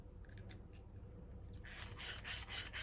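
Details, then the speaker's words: RC shop truck chassis kit, motor and transmission install with motor set low in housing: gears turned by hand give light, even ratcheting rasp about two clicks a second, no binding or grinding; gear mesh good. "Get it as low in the housing as we can. Make sure we've got good gear mesh."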